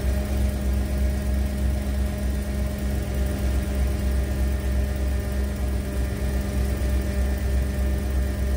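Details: 1991 Ford Econoline E350 dual-tank van idling right after an in-place repair of a fuel tank selector valve stuck on the rear tank, with tanks switched back and forth: smooth, even low rumble with a steady beat, no misses, knocks or ticks; healthy idle.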